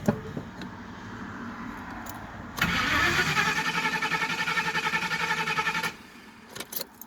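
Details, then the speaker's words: Car with new fuel pump and idle air control valve, won't restart after being shut off at high rpm: starter churns about 3.5 beats a second for three seconds, never fires. Smells of fuel, like too lean; cause unknown. "It's like totally dead. Like super, super dead. It smells like fuel, like it's too lean."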